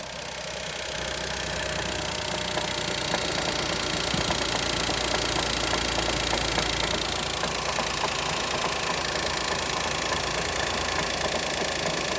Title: Дайхатсу мира стук двигателя